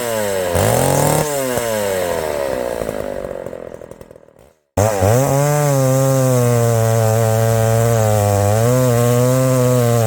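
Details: Chainsaw cutting wood: screams at full throttle through the cut, drops off, then snaps straight back to a strong, steady high rev. A healthy, responsive saw.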